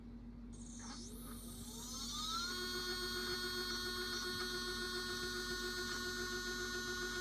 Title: HEQ5 pro ||Loud slewing noises after rebuilding||